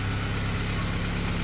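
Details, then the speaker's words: Honda Accord (G22), first start-up after spun bearing repair with new crankshaft; idle sounds healthy, a steady low hum with even pulses, no knocking or ticking; normal idle before test drive. "But yeah, I mean, she's running. She sounds healthy."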